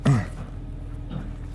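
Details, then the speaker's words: 2006 Nissan Murano, warm, after an idle relearn for P0507: low, steady idle at about 800 rpm (normal 700–800) with an even rumble, down from a high idle of about 1088. "But you can see it's idling at about 800 now, where it should be. 700-800 is where it should be idling."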